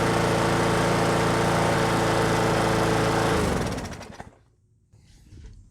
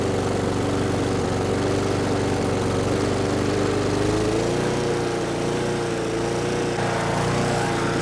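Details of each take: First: Brute lawnmower with Briggs & Stratton Classic engine after fitting the missing governor spring and adjusting governor RPM tension; steady, even buzz at constant speed with no hunting or surging, then clean spin-down at shutoff; running properly, carburetor untouched. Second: Brute mower with Briggs & Stratton Classic single-cylinder engine, dirty, just got running: pitch sags and climbs unevenly; choking the intake didn't change it, not the carburetor but governor hunting from a missing governor spring. Engine surging.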